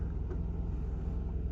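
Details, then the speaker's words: 2003 Audi A3 2.0 petrol, unstarted for 10 years, just fired on a new battery, cold: deep steady rumble with even firing pulses, no knocks or rattles; normal cold idle. "So not started in 10 years and it fired up after a few seconds. Well done, Audi. I'm impressed. Sounds pretty well, really."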